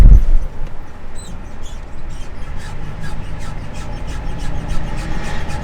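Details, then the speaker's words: Gen 1 Ford Raptor, about 184,000 miles, driving with windows down: faint high chirping squeak about four times a second under road rumble and pinion bearing noise; owner suspects driveshaft, U-joint or worn rear end. "But the other thing that's going on is there's this like squeak noise happening, and right now you don't hear it."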